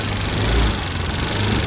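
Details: Attila FI fuel-injected scooter, loud engine noise complaint, running before repair: fast even metallic ticking riding loudly over the engine drone, tracking engine speed; cause unconfirmed.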